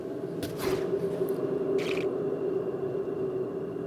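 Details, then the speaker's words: Raised front wheel spun: a steady, rough grinding drone from a worn front wheel bearing. "that's my bad wheel bearing."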